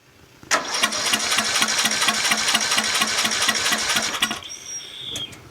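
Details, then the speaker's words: Murray 14.5 42-inch lawn tractor on starting fluid with a briefly charged battery: rapid, uneven pops about three a second for roughly four seconds, then it dies; has compression and cranks better. "promising definitely has compression and it's starting to crank a little better"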